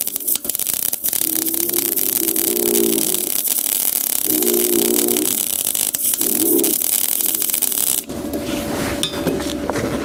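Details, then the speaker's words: HITBOX MIG200II MIG welder with inductance set to plus (after -3 and -1.5): irregular crackling and popping, spattery unstable arc from too much inductance. "po dźwięku, czyli trzeszczy, strzela"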